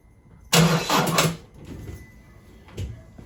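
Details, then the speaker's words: Car after its drained battery was cranked repeatedly to flatten it: a short, laboured burst of cranking dies away without the engine catching; a failed start from a flat battery, as on a cold morning. "so there we have it that would have been a failed start on a cold morning"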